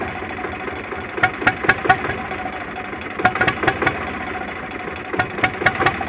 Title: Zebra 3520 rough idle